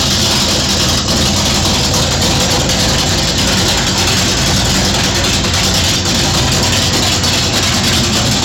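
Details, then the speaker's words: 1969 Plymouth Valiant with a 440 HP-block big-block V8 out of a '69 Charger R/T, built in the early 80s, with a replaced electronic ignition module: a loud, steady rumble, even exhaust beat and no knocks or misfires. Healthy running. "So there you go. Thing sounds good. So in the article, per the article, and talking to the owner, the guy that built it back in the early 80s, this is a 440 out of a 69 Charger RT."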